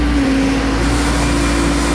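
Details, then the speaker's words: Diesel mower that used to die when the PTO was engaged, after a time delay relay was fitted: a steady, even drone with the blades engaged, no stumble or dying. Now running healthy under load. "oh yeah there it is it's working nice nice"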